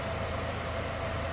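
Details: 1999 Chevrolet Cavalier Z24, about 39,000 miles, hood open at its 2.4 L DOHC inline-four: a smooth, even low hum with a steady beat and no knocks or ticks; idling cleanly and healthy.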